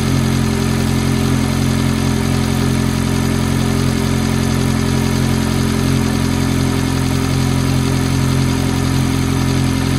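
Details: F430 at cold idle: a light, fairly even tick of roughly three per second rides over the steady engine hum; the source is unclear.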